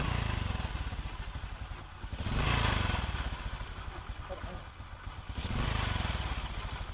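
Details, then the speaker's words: Small single-cylinder motorbike after repair with a brand-new genuine clutch and some bearings replaced, engine hot: soft even idle putt, gentle rise and fall, only a faint clutch clatter and no knocking; healthy. "nồi này có trả nhưng mà cái tiếng nhỏ lắm nha anh em tại vì cái nồi này là cái nồi mới luôn đó"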